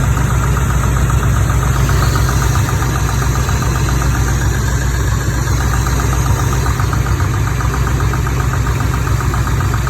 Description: Chevy 350 small block, 43 years old, 48,000 miles and the drivers side has a tappety knock I can also feel it in the valve cover.